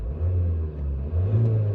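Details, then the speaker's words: 2014 Vauxhall Zafira Tourer 2.0 CDTI diesel, 6-speed manual, 78k miles with full service history, no warning lights on: a steady, low, even diesel rumble at idle with no knocks or rattles. The engine sounds sweet and healthy. "Engine sounds sweet. Nice that we've got a digital speedo there as well."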